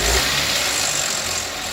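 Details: Vauxhall Adam recovered with a major engine noise (intake cam timing fault code): loud, harsh clattering engine with a hard metallic rattle, which sounds horrendous; diagnostics suggested timing chain, but stripping showed the oil pump had failed.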